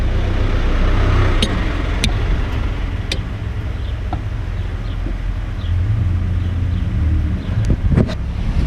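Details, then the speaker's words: 2003 Ford Escape with starting issues, fuel pump relay being tested: sharp single clicks over a steady outdoor road rumble, showing the relay turns on. Power later confirmed at the pump, so the fuel pump was replaced. "Alright, if you hear the click, that means the relay is turning on."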